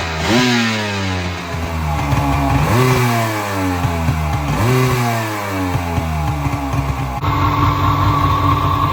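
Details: Rebuilt 2000 Kawasaki Ultra 150 jet ski, 1200 slant three-cylinder two-stroke, motor and jet pump rebuilt by marine mechanic, first start after storage: crisp blips climbing and falling cleanly between steady idles, no stumble; strong, healthy running.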